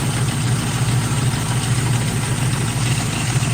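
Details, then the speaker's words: Ford overhead-cam engine with plastic timing chain guides, right after startup: low even idle with a faint busy rattle underneath; timing chain rattle, likely a failing tensioner or broken guides. "with that style they use chain guides that are plastic whenever you start these engines up and you hear a little rattling noise this is what it sounds like"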